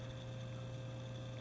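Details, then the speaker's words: Antique Eck fan motor after new rotor shaft made and reassembled, running on a variac: steady, even low hum with no rubbing, ticking or wobble; running smooth and very quiet. "got the new rotor shaft made and got everything all buttoned back up and we've got the motor running I don't know if you can hear that running or not it's running so smooth"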